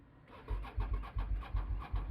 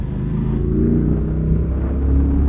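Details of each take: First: Motorcycle (about 70 bhp) with suspected flat battery, charger not switched on: slow, laboured cranking thumps about three a second that never catch; engine turns over but won't fire. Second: V-twin motorcycle while riding, fitted with a Delkovich 200mm stubby can exhaust; deep, even V-twin rumble with lazy uneven beat swelling and easing with throttle, strong and clean; normal V-twin exhaust note under riding.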